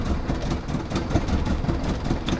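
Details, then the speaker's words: Ex-company-car Mini Cooper R50 bought from auction, engine management light on, at start-up: lumpy, uneven idle with irregular low thumps and no steady beat; owner suspects several misfires, cause not yet found. "It sounds so rough when you start it up. Sounds like this. Bruh."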